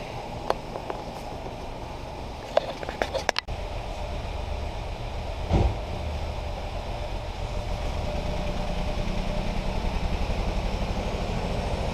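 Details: 2018 Ford Focus SE, sat about three weeks, seller claimed water in a cylinder; freshly jump-started with white smoke, in shop: uneven lumpy idle pulse about three a second, no clean rhythm, running rough; cause suspected, not confirmed.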